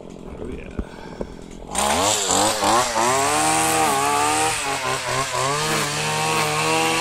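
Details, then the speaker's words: Stihl FS85 two-stroke premix strimmer, over 15 years old, started after seven months unused in a log shed: sharp buzz picking up cleanly and holding revs with blips under cutting load; runs well. "so that's it it works that still that's been there for about 15 years"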